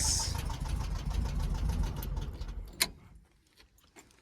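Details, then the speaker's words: 1972 VW Beetle air-cooled flat-four, parked seven months: light, uneven tick over the low idle rumble, then it dies; likely tappets needing adjustment per owner, full service planned, cause unconfirmed. "you need to tap it someone out you can hear that give it a good full service"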